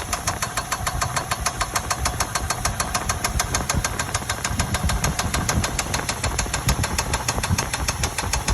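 Sharp metallic knocks about three a second, evenly spaced over the idle and loud above the engine; a knock of unknown source.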